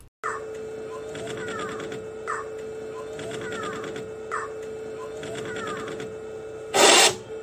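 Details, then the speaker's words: DTF printer capping station spinning, squeaky rising chirps about every two seconds over a steady hum, then a harsh screech; not the clear belt or timing belt, stopping the carriage moving left. "Now the problem comes is when you hear the cabin station spinning."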